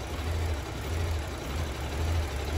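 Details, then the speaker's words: 2009 Mini Cooper 1.6 L four-cylinder with random misfires on all cylinders, smoke and soot: with the oil cap off, the low, lumpy idle sputters and sags as if about to stall; strong suction at the oil filler points to a vacuum leak through a failed PCV valve. "you guys hear that sounds like it's getting ready to stall it's just sputtering really bad"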